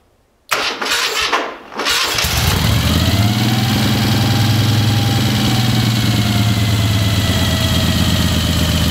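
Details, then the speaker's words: 1975 Moto Guzzi twin with choke plungers up, after cranking bursts catches and holds a fast, steady idle easing slightly; high idle on choke, running rich. "it idled really high at first because the the the choke flungers were up it's getting a lot of fuel"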